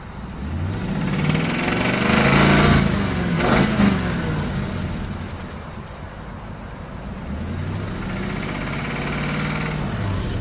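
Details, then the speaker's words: 2011 Crown Victoria P7A V8 revved twice from idle: a dull, fairly regular knock under the engine note that doesn't change with RPM. Owner judges it rod knock rather than piston slap; not confirmed. "that yeah I figured its rod knock"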